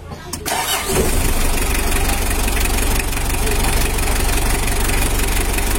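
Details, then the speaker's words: Mitsubishi L300 diesel after engine reassembly and 14B rotor head replacement, exhaust leak fixed: catches within a second and settles into a steady, even clatter with no misses; normal idle. "sudah selesai jalur suaranya Udah halus kayak mobil baru"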